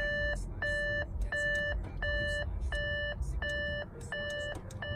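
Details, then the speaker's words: Salvage Audi A7 TDI with deployed airbags: a steady, repeating two-tone chime, roughly one and a half per second, over a quiet cabin. It is the coolant level warning ("turn off engine and check coolant level"). "turn off engine and check coolant level this thing's freaking out"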